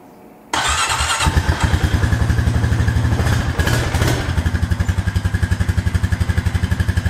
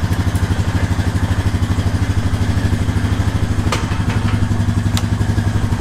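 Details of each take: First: Honda Rancher ATV started in gear, a fault present for 3–4 years since a rollover: the single cylinder putters at about four beats a second, its rhythm sagging and uneven as it tries to die; traced to a bad brake switch. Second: 2018 Honda Rancher 420 ATV being checked for a bad brake switch: low, even thumping idle with a steady beat, no stumble or miss; engine idling normally.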